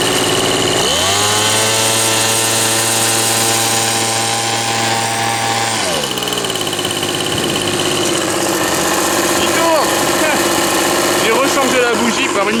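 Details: Old Ryobi RSV 3100e two-stroke leaf blower, after three spark plugs, carburettor adjustment and four carb membrane changes: revs up cleanly and holds a steady, even high drone before dropping back; running normally.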